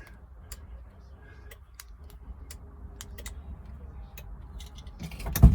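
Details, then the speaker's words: Long-dormant Porsche 924 Turbo, cranking attempted from the ignition: faint irregular clicking from under the car and no crank; the security system is blocking the starter, which is also suspected to need replacing. "No, we're not, because the security system's on again. God, this thing is horrible. You can hear it clicking down there."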